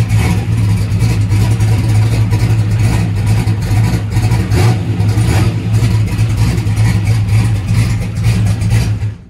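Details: Boosted small-block Chevy V8, cold start on brake clean after battery changes: deep choppy train-like lope, steady with no knocks; normal cammed idle.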